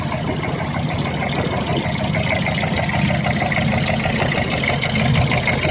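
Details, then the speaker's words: 1974 Buick Century Luxus, original Buick 350 with a 2-barrel carburetor and non-original exhaust. A smooth, even V8 burble at idle with no knocks or misses. Normal idle. "That's the original Buick 350 engine with a 2-barrel carburetor. Sounds beautiful."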